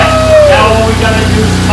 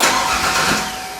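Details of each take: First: Rebuilt 2.9L V6 in 1992 Ford Ranger, first run after install, distributor moved one tooth while timing: steady even low hum with no knocks or misses; normal idle. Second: 1992 Ford Ranger with a rebuilt 2.9L V6, first start after reinstall: the starter cranks steadily but the engine never fires, with no spark at a test plug; crank, no start.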